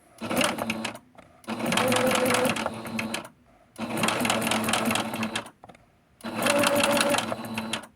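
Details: Noisy sewing machine being oiled and cleaned to find the noise: bursts of rapid mechanical clatter in short spurts with a hard clank in each; clanking seems to come from the left side, something loose or worn inside.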